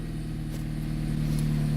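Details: 2010 Jeep Compass after repairing a no-start caused by a corroded ASD relay box: steady low hum with an even, smooth idle and no misses or knocks.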